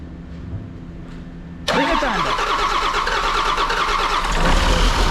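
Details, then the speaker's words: John Deere 6068T PowerTech diesel engine, stored four to five years: starter cranks hard at about three beats a second without catching; owner suspects air in the fuel system, crankcase breather found plugged. "try and fire it up again let's see if that goes away because that's maybe it's got air in the system"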